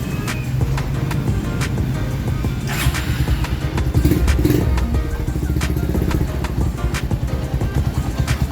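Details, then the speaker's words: 2010 Honda Mega Pro Primus after repair of repeated bent valves caused by worn cam chain, tensioner, tensioner rubber and lower sprocket: steady low putter with even firing and no top-end ticking or rattle; engine idles smoothly and healthy. "Guys, mesinnya udah halus ya, mesinnya udah oke, mesinnya udah oke, dan mesinnya sudah untuk bisa buat riding lagi,"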